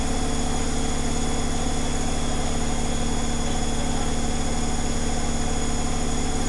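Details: Zanussi Flexi Dose ZWG7160P washer on final spin with an unbalanced load, held around 1000 rpm instead of 1600 rpm; steady drum hum with an even thump about 2.5 times a second. Once rebalanced it spun at 1600 rpm without crackling.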